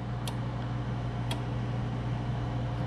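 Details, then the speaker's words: Oven showing locked with the door lock ticking about once a second over a low hum; lock keeps cycling and won't release, unplugging doesn't reset it, owner suspects jammed lever, jiggling fixed it before. "calling on all geniuses in my audience what do i do how do i fix this it just says locked and you hear it ticking"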